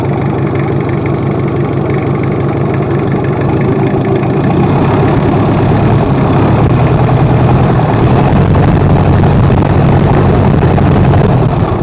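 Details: Rebuilt Toyota Kijang 2L diesel, overhauled for low compression and an abnormal noise, running in at fast idle: steady, even clatter and a deep, smooth drone with no knocks or misses; runs healthy.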